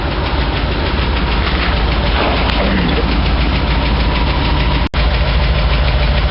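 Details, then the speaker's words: Ford 460 V8 with new lifters ticking and misfiring, exhaust repaired, owner suspects bad cam: rapid light ticking, about three a second, over rumbling idle, not exhaust — lifter tick. "you can hear that tick pretty good and I know it's not exhaust even though it sounds like it"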